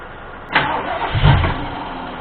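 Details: Ford 351M engine started with fuel splashed in bowl: catches with a few uneven bursts, sputters about a second and dies; stumbling and stalling, suspected fuel issue with carburetor bowl not yet filled.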